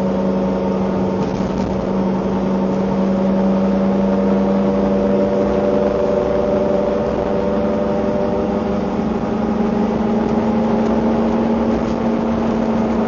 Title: Engine Noise during accelerating 2